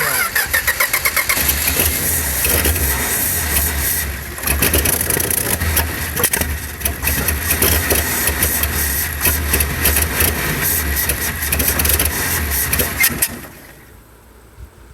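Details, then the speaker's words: Field-find car, carburetor engine: repeated cranking catches into a rough, uneven run that stumbles and dies after about thirteen seconds; carburetor flooding with fuel around the accelerator pump, float suspected set too high or debris; timing and dwell also suspected. "well that carburetor is flooding over fuel coming up around the accelerator pump area that's why it so easy float set too high then garbage in it or something"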